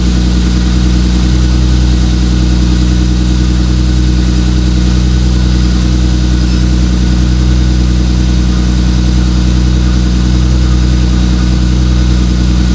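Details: 2JZ-GTE twin-turbo swapped MKIII Supra, reassembled after turbo bearing/bushing failure with turbo blankets added: steady deep even idle, smooth low drone, no whine, rattle or knock; sounds healthy.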